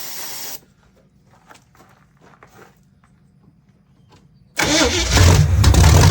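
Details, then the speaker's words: Barn-find 1971 Camaro Z/28 V8 with the distributor, plug wires and fuel lines replaced, running off a temporary fuel can. It catches and runs loud with an uneven, lumpy beat; the carburetor is junk and needs cleaning. Rough running engine. "So, we definitely got a carburetor issue. So, I'll have to take that off and clean it. But, uh, for now, at least it runs."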